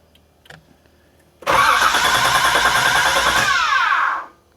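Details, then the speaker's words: Flood-salvage 1986 Nissan 300ZX, parts reportedly stolen: starter spins the engine about three seconds with fast even chatter but it never fires; cranks without starting, sounds oddly different; spark test next. "that is such a weird sound that sounded different it tried to do something"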